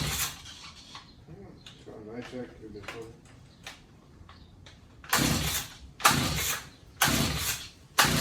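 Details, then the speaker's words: Stihl HS45 two-stroke hedge trimmer found in hard rubbish, has compression: four pull-cord rasps with no firing; no-start, with very weak spark on the plug. "Yeah. So as you can see, it doesn't want to start. I'll jump into it."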